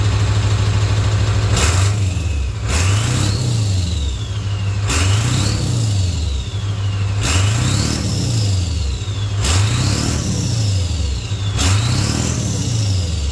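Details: 1996 Ford F250 OBS turbo diesel with new 3" downpipe and 4" full exhaust: deep rumble rising and falling in repeated revs, turbo whistle climbing and fading; more bark on throttle, not much louder than stock, runs clean and healthy.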